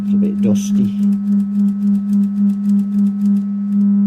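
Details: Hartke Model 2000 200 W bass amp after repair of input problems: steady low test tone swelling and dipping evenly as the EQ sliders are worked, no crackle or dropouts; sliders cleared by use, clean output.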